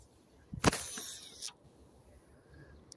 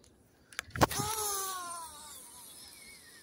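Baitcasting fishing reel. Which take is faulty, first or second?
first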